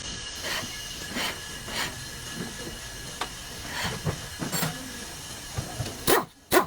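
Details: Toyota Camry front brakes: steady high-pitched squeal over rhythmic swishing as the wheel turns, front brake noise.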